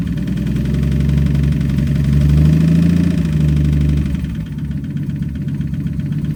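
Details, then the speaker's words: Engine runs with an uneven internal knock of about four per second under the exhaust; noise has returned, owner suspects the piston is still hitting something inside, not confirmed. "Okay, well that noise came back. I'm pretty sure that piston is still hitting something in there, because you guys have seen the photos."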